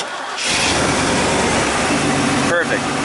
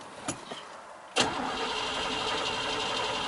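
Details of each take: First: 1996 Chevy K1500 4WD 5.0L V8 after a no-start traced to an empty fuel tank and a damaged fuel-rail Schrader valve: brief crank, catches within half a second and settles into a steady even idle, a healthy start. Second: 1996 Chevy K1500 4WD 5.0L V8, custom wiring, cold (coolant about 55°F): starter spins the engine evenly for about three seconds but it never fires; crank no-start.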